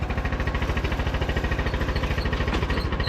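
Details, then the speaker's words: Craftsman T1000 MTD riding mower single-cylinder engine, needing valve adjustment or carb cleaning: loud steady thump about 2.7 per second with small pops and sputters when throttling down; backfire from tight valve clearance. "these engines sound terrible anyway you guys can hear the little backfires when you bring the throttle down"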